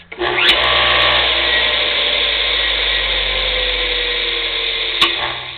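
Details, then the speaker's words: Air compressor driven by an oversized motor, apparently from a bandsaw, spinning twice the intended RPM and geared down: it whirs quickly up to speed with a crisp early click as the centrifugal switch drops the start capacitor out, normal. "that's actually there's a clutch in here that engages for the starter capacitor which is right here and the running capacitor which is here"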